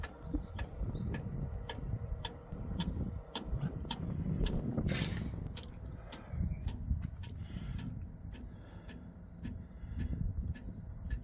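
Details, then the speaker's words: Diesel heater (5 kW) starting up on a portable power station: sharp light ticks about every half second over the fan whoosh as the fuel pump starts dosing onto the glow plug; normal start-up. "You'll hear a bit of ticking in a few moments time. That's when the pump starts firing in, and we'll get it cranked up."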